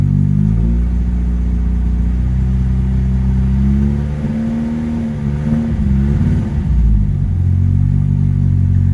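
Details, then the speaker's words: Restored Ford Escort Mk3 XR3i, warm engine at idle: starts easily and idles low and steady, but the beat stumbles midway; slight misfire, owner plans to check the plugs. "starts on the button seems to have a slight misfire on warm up so i need to have a look into that"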